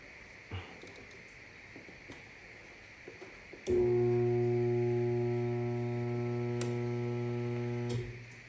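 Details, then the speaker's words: GE steam dryer with Detangle: steady electrical hum for about four seconds then stops, motor stalled; suspected something stuck in the blower fan, possibly a bad motor. "So it's making humming noise and and we can check that there also stuck which is I believe is something stuck between the blower blower fan"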